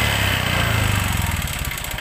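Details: Honda Vario 125 scooter run late on oil changes (oil starvation): harsh, rattly running note that fades as the engine winds down; inspection found a damaged, worn piston.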